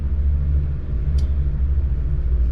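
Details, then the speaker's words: Twin Yamaha F200 outboards on a Jeanneau Merry Fisher 895 at 2100 rpm, about 19 litres per hour, 9.6 knots nearing 10: deep even drone, no knocks or misses; normal running at cruise. "So 2100 RPM, that's brought us up to, as you can see there, middle top, 19, just around 19 litres per hour,"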